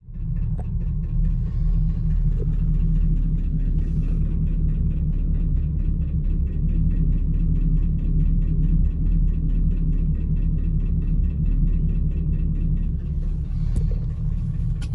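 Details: 2010-2015 Chevrolet Camaro SS LS3 V8 at idle: a deep rumble with a faint, fast ticking over it; owner asks whether it is lifter tick or rod knock, not confirmed; engine ticking at idle.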